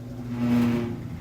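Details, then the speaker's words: Furnace blower fan with a loose pulley and worsening bad bearings, temporarily fixed and running after the firebox heats; new bearings, pulley and shaft are ordered. An even low hum with a mild steady tone and no knocking or slapping: near-normal sound. "there we go that's back to almost normal sound but i do have to do the fixes it it's not a project that can wait because it's just going to get worse"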